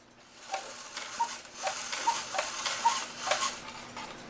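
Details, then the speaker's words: After the Hunt cuckoo clock movement, run unlevelled while the chain is pulled by hand: uneven, scratchy ticking about twice a second with a gritty rasp between beats; the movement is dry and badly needs oil. "and so you can hear it that it needs oil bad"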